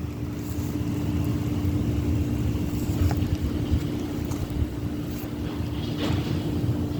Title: 5.9 cummins 12 valve exhaust leak, and finding somebodys patch work. Time to replace cyn. head